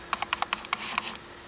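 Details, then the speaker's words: Nikon D600 shooting video in AF-F face-detection mode, heard from inside the camera. Bursts of quick little whirring clicks that keep starting and stopping as the autofocus hunts and constantly readjusts. "can still hear it hunting or just constantly readjusting you can barely hear it from outside of the camera"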